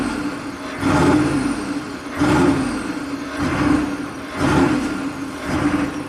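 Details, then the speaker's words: 1995 Chevy K3500 6.5 turbo diesel, 160,000 miles, original accelerator pedal refitted: revs surge and fall about once per second, starting at 2,000 rpm with no boost response and no codes; runaway high idle, cause unknown. "So it's trying, but something's really wrong. So when you first start it up, it's at 2,000 RPM."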